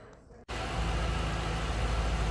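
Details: 2007 Ford Mustang Shelby GT coupe, 4.6-liter V8 with cold air intake, 5,228 original miles: after a brief pause a deep, steady burble settles in with an even low beat, no knocks or ticks; healthy idle.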